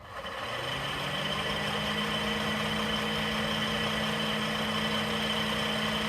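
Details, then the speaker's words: 2010 Honda Accord V6 (8th gen), near 100K miles: A/C condenser fan spins up to a steady droning hum with coarse whir; blade has play, owner suspects bad bearing or bushing; fan replaced. "I have a lot of play in this fan blade it looks like a possible bad bearing or a bushing and this is what it sounds like when it's"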